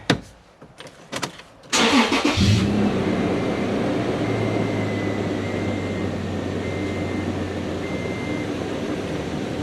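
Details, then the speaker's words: 2007 Toyota FJ Cruiser 1GR-FE after timing chains and a new cam phaser following a P0016 code: the starter cranks briefly, the engine catches, flares, then settles to a smooth, even idle with no ticks or knocks; no check engine light, normal start and idle. "No check engine light. That's really good news. Sounds really good too, nice and healthy."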